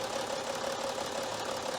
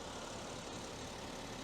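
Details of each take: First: BMW X5 3.0 six-cylinder diesel at 326,000 km, rough clattery uneven idle with misfire, shaking and white smoke; computer flagged injector 5; injectors and their coils found faulty, recorded before injector overhaul. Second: BMW X5 3.0 diesel, six-cylinder, 326,000 km, after injector repair for misfire and smoke (cylinder 5 injector fault logged before): steady, even idle rumble with no misfire, no warning lights, no smoke.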